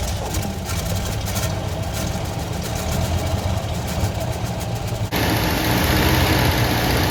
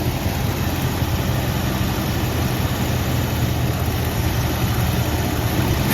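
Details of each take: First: 1973 Ford F100 with 302 Windsor V8, 3-speed column manual, first start after sitting parked 16 years and carburetor work: steady, even low burble at idle, no knocking or miss, runs like a sewing machine; slightly smoky, expected to clear once rings seat. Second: 1973 Ford F100 with 302 Windsor V8, 3-speed column manual, parked 16 years, first start with no coolant: fast, steady idle well above normal that rises near the end and hangs up; blipping the throttle brings it down, a sticking spot suspected.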